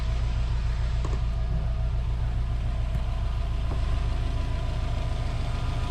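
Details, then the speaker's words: Subaru Legacy GT Spec B after a JDM engine swap, freshly installed boxer engine warming up, waiting for the thermostat to open; steady low rumble with an even beat, no knocks or misses; normal idle. "guys here we are with the jdm motor installed running warming up just waiting for the thermostat to open then i can let it cool down check the coolant"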